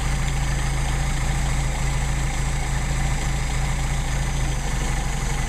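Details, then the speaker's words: Mercedes-Benz 190SL, rebuilt Solex carbs, linkage disconnected; idle backed off so synchrometer reads 6 on both carbs, uniformly balanced. Steady even low idle, smooth regular beat, no misses or surging; normal idle. "And so we still have uniformly adjusted carburetors. I don't want it idling that high, so I'm going to back it off. That's 6."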